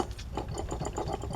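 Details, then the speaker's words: 2007 Kia Sportage 4-cylinder, removed A/C compressor spun by hand: dry gritty rasp with rhythmic catch each turn instead of smooth; rattled and rumbled with A/C or defrost on, so replaced with receiver/dryer and expansion valve. "that's not good. Should have been nice and smooth and uh not had any issues. So when this when we turn air conditioning on or the defrost, this thing was rattling and rumbling."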